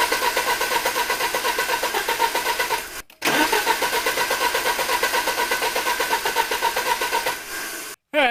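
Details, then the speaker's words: 1983 Porsche 944 Turbo on a jump pack, after a new fuel pump and relay were fitted; the fuel rail gauge shows pressure. Steady cranking at about four turns a second, a short pause, more cranking, and it never catches; cause unknown. "it's showing pressure so we know the fuel pump is now working it's getting gas I'm not sure why it's not starting though"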